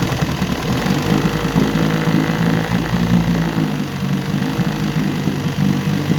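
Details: Evinrude 9.5 HP outboard after repairs, on a test tank with choke, at full throttle in neutral: a steady, fast, even putter with a slight rhythmic pulse and no knocking or grinding, running cleanly.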